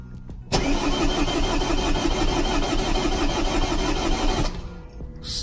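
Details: Vauxhall/Opel Corsa D 1.3 diesel after second-hand ECU with swapped EEPROM, no fault codes: starter cranks steadily about four seconds, never fires; fuel pressure present but slow to build, air in fuel rail, injector pipes cracked to bleed.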